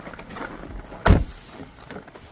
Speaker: we go. No more squealing noise.